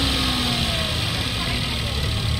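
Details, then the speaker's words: 2017 Toyota Wigo automatic, after replacing transmission filter and fluid: steady, even idle with low rumble; transmission drone, previously loud on cold start, is gone and check engine light off. "ayun mga boss nawala yung Ugo namatay din yung check engine"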